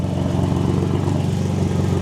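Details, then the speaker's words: Nissan 350Z after fixing a Y-pipe exhaust leak with an extra-thick gasket: deep, even exhaust note revved to high rpm with smooth firing and no puffing or ticking; normal revving, no leak. "We're testing for science to make sure that we're still not leaking through high RPMs,"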